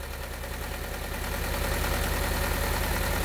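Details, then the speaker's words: 2010 Honda Civic, 1.8L naturally aspirated gasoline engine, automatic, code P0303: rough, lumpy idle with an uneven chug; the cylinder 3 coil is bad and another coil is unplugged for testing, so two cylinders are dead, a severe misfire. "Now, as you can see here on camera, this thing is running like dog shit. You can also hear it chugging away."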